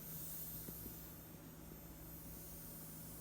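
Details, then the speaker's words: Audiobox USB 96 interface running a condenser mic in Studio One: switching 48V phantom power on brings a constant hissing white noise with low hum underneath, which goes away when phantom is switched off; the fault persists after repeated repairs. "hi guys I just got my box back from repair because whenever I hit the 48 volt button it makes a lot of noise like hissing white noise"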